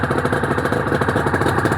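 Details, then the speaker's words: Honda NSR250R-SP MC18 two-stroke during restoration, on choke, just started, JHA pipes: busy crackling idle, even popping from both cylinders, no misses, power valve servo working; normal idle. "That is incredible. Yes. Wow. Those pipes sound nice. Wow, those pipes do sound nice."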